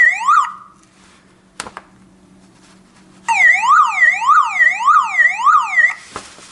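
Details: Toyota Camry hidden alarm siren unit with its own battery pack, black cable reconnected: a click, then a loud warble around 1–2 kHz at about three sweeps a second; the siren is working normally.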